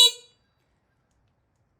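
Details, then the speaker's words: New Amazon-bought X-Pro dirt bike during assembly, just after connecting the battery, before first start: one short, sharp, high-pitched honk; horn working. "High beams, low beams. Horn, brake light. Brake light is working."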